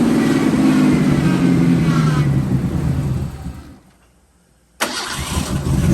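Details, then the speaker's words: Ford Bronco II with vacuum lines attached: the idle revs up, then sags almost to stalling before catching, surging unevenly. It sometimes dies after starting, and the idle screw is about to be adjusted. Hunting idle. "as you guys can tell tell the idle paints a little bit after the idle's down I'm going to try to adjust the screw"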